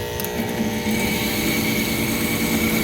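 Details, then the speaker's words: Allied gas package heating unit with no heat, burners firing poorly and high limit tripping: rough, uneven motor drone with a rattly buzz; noisy combustion inducer motor judged to be failing. "motor sounds like crap. Running. It's gonna die."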